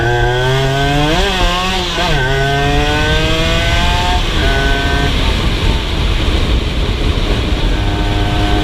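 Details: Rebuilt Honda LS125 two-stroke while riding: revs up cleanly, then the note sags and hangs with a muddy, uneven mid-range pull, low and high speed fine; owner suspects carburation, possibly gear ratio.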